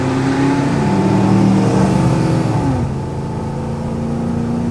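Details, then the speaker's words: 1971 Plymouth Satellite with 318 V8 after rear end rebuild, road test: engine pulls smoothly, drops on the shift and pulls again, no whine or clunk; backlash set right, earlier axle shaft noise gone. "Well, you don't hear any whining, so we got the backlash right."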